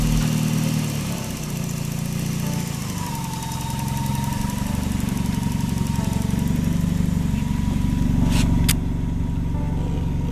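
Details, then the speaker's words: Tuned Daihatsu after the alternator bearing was replaced and a bent pulley wheel was swapped for a straighter one. It gives a smooth, even idle rumble with no whine or bearing growl at the front, and the alternator is charging properly. "As you can see, the alternator is still charging properly, so everything was okay. We just changed the bearing."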